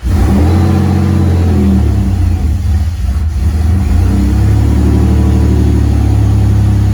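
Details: 1981 DeLorean DMC-12 first start after installing a new modern fuel pump with new lines: engine runs strong and even through several throttle blips, clean rise and fall in revs, no knocks or stumbles. Normal running.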